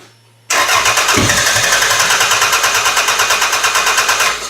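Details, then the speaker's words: Toyota Camry engine swapped into a derby car with EGR delete and a new harness, old Camry sensor plugged back in: steady cranking at about three compressions a second with no firing; owner suspects that sensor has gone bad. "Yeah, it's definitely not going to run on that one. Maybe this actual sensor's gone bad."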